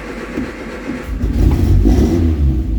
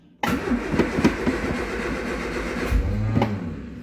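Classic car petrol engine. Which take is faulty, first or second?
second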